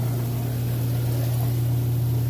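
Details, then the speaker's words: Kenmore washer in final test after 28-point inspection, drain cycle: steady, even low hum from the drain pump moving water, no rattle or grinding; drain working great, pump healthy. "You can hear this draining. Yep, drain's working great."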